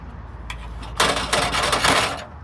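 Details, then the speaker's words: Seat Leon, rattle from the rear when the boot is shut or over speed bumps and potholes: brief tinny metallic rattle of the exhaust heat shield, its rusted mounting clips failed so it rests on the exhaust backbox; not heard when revving. "The heat shield is resting on the exhaust backbox, and I'm surprised it wasn't possible to hear it when revving the engine."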